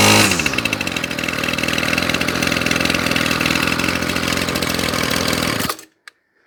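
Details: Ryobi Grass Scorpion RCT-2800 two-stroke trimmer after new fuel lines and primer bulb, with the carburettor not yet cleaned: it settles into a steady, even buzzing idle with no hunting or stumbling, then shuts off cleanly. It runs healthy.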